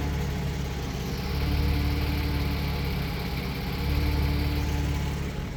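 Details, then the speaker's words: 2002 Porsche Boxster 986, not yet at operating temperature: idle hunting about 100 rpm, pulsing rise and fall every couple of seconds; owner suspects a carbon-caked throttle body, to be cleaned along with the MAF. "so you can see you can hear it's it's hunting a little bit so uh yeah we're going to crack open the throttle body clean it up a little bit"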